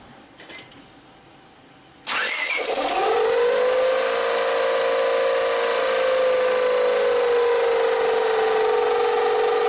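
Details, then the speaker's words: 2000 Honda Civic LX, towed in after overheating with rough running, smoke and check engine light P0117 (oil full): loud steady whirring squeal at start and idle. Timing belt rubbing its melted cover. "you hear how obnoxious that sounds? It's really loud."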